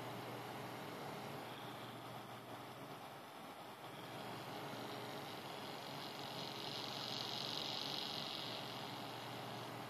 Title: AMD A8-6600K cooler - strange noises